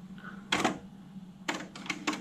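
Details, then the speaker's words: 1980s AIWA AD-WX929 cassette deck with new belts, finishing Data 1 bias calibration on a blank tape: quiet motor hum with crisp clicks and clunks as the transport switches modes; normal operation, display shows tuned. "and then it will just quickly play it again just to make sure that that setting is correct and that's it so now it says tuned in the window"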